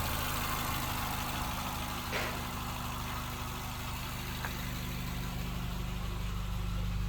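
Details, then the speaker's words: Used small city car at idle after engine start: steady, even low hum with no misses, knocks or surges; smooth, no vibration, exhaust not smoking, engine sounds healthy. "Oh maksudnya halus ya temen-temen halus dan juga tidak getar walaupun"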